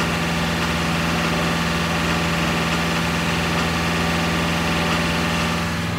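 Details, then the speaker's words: Ford 7.3 diesel truck revving high: uneven, stumbling skip with rough knocking/clank, then picking back up; harness already replaced, cause unknown, possibly injector; misfire and knock at high rpm. "what I notice is the winner at higher rpm it will give me a skip and it will not give me a knock and then spit right back up and then give me a knock and then back off"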